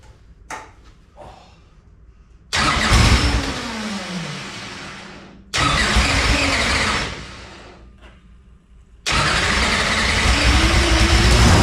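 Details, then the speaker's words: Newly installed engine in a race chassis with header off, first fire-up on brand-new fuel lines: catches loud and rough three times, each run dying within seconds; suspected fuel not yet primed, pump then seen returning fuel. "that sounds weird with that header off there it's got to be the fuel it's got to be just not primed up yet"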